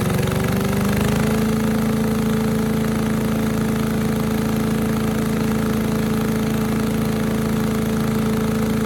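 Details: 1984 MTD air sweeper with flathead Briggs & Stratton 5 hp engine, 36 years old, first pull after tightening loose plug wire: steady even single-cylinder drone at constant speed, no misses or knocks; normal running, high speed possibly a little slow.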